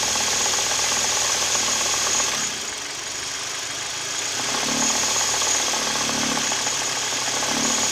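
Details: Kia/Hyundai G4KD Theta II petrol engine, recorded from inside the cabin: regular knock about four a second through idle, continuing with A/C compressor and mirror, glass and seat heaters loading the engine; owner suspects piston knock.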